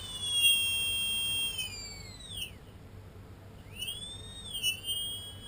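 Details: Tarot 4006 brushless drone motors, one of six bought and suspected counterfeit: high, steady whistling whine dipping and climbing with throttle, loudest around 40–50% hover throttle; owner suspects bad bearings, not confirmed.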